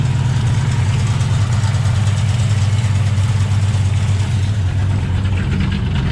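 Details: 2008 Ford Mustang GT V8 after new spark plugs and fuel injectors; misfire started suddenly while reversing, on the passenger side. Deep idle lopes and stumbles unevenly. Later traced to a vacuum leak from a cracked cold air intake at the PCV tube.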